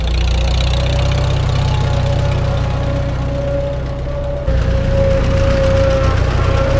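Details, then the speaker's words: Farmall H tractor driving on its first start after winter, still cold: a steady mid-pitched whine rides over the low engine rumble. It comes from worn rear-end gears, softened because the cold grease is still thick. Rear end gear whine. "tell you that rear end grease is still thick enough from being cold that it only has a kind of bad gear wine instead of the horrendous bad gear wine that it normally has"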